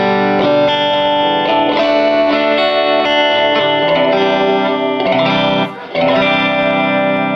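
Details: 1949 Gibson BR-6 tube amp, final tone demo after servicing, cleaning and repairs, played with a Fender Strat single coil: clean chords ring out with no hum, crackle or buzz between notes. The amplifier sounds healthy.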